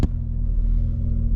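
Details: 1991 Jeep Cherokee Briarwood after the dead alternator was replaced, following a short test drive: a steady, low, even engine rumble with no ticking, whine or stumble. The voltage gauge sits mid-range; running normally.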